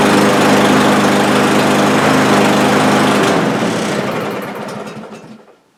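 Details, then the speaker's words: Cub Cadet lawn mower with over a hundred acres of use: the engine buzzes fast and steady, then fades and sputters to a stop within seconds; lean running and stalling from a clogged carburetor, worse since spring, smoothing out after about ten minutes. "if I leave it here long enough take about ten minutes of rough running like that then it'll smooth right out and work fine for the rest of the day"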